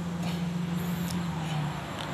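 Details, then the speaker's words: Electric fan just reassembled after repair for howling and stopping by itself, switched on for testing: a steady low hum with even pitch and no howl or scraping; it runs smoothly and sounds healthy. "แค่ฟิวมีเสียงเงียบเลยครับไม่มีหอนไม่มีอะไรละเสียงหอนก็หายไปแล้วครับแล้วก็ทำงานปกติ"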